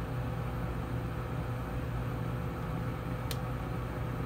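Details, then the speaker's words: Furnace with R and W jumped: inducer on, hot surface igniter lit, about 30 seconds after flame; steady low hum with single sharp relay click as control board switches blower circuit, 115 V at heat pin but blower stays off; board suspected bad. "we're going to give this about 30 seconds you'll hear an audible click the solenoid"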